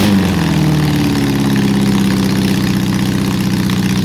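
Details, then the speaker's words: Honda CB750 during restoration, engine newly running: lumpy, uneven idle with a stumbling beat under the exhaust note. Large misfire; a vacuum leak is suspected but not confirmed. "Sounds almost like it's got a vacuum leak. Sounds like it's got a vacuum leak."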